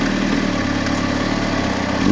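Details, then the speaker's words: Motorcycle in first gear, clutch let out slowly for takeoff at about 1,000 rpm; deep, steady low-revving thrum holds even as the clutch takes up, no misfire or sputter, normal low-rpm takeoff. "Now watch when it starts to move. I'm going to let the clutch out, and I'll let you hear that it starts to move at about 1,000."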